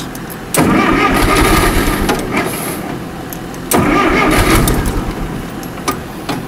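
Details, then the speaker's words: Allis-Chalmers 170 tractor, sat about two years, carburetor cleaned and rebuilt, new plugs and coil. Steady cranking chug; engine fires and catches briefly twice but stalls each time. Fuel suspected not fully reaching carburetor, unconfirmed. "it's it's not reaching the carburetor not completely"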